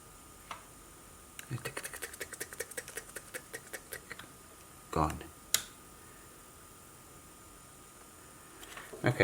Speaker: you can see it on the scope screen you see those spikes going on I can hear that as ticking